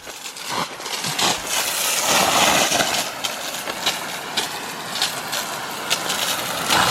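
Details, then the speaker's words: Micro hydro penstock during pressure test, non-barb couplings: steady hissing rush of water with splashing surges; pipe came loose at a coupling and is gushing; fixed by replacing with barb fittings, then holding 65 psi static. "there's the problem right there we've got a uh a geyser it's been flowing like that for a while too so yeah the pipe just came loose"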